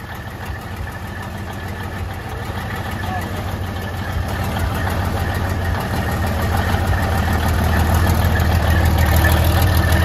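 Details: 1972 Freightliner cabover diesel just started after 27 years: lumpy, uneven idle with loping misses that grows louder and steadier as cylinders clear; not firing on all yet; about 80 psi oil pressure.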